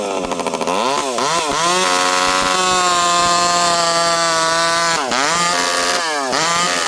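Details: Stihl 064 chainsaw with new carburetor, high jet near 1 turn: crisp high-revving two-stroke pulls hard and fast under heavy cutting load with brief dips; runs healthy.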